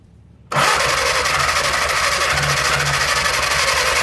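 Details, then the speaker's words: Old four-cylinder flathead engine driving a generator, sitting outdoors 15-25 years, cranked on 12 volts after fixing a loose coil wire; steady starter churning with rare weak catch, won't start; plugs soaking wet, possibly from transmission fluid in intake, fuel-fouled plugs. "Well, she's trying, just won't get there yet. I'm afraid I'm gonna burn this starter up, putting 12 volts on it."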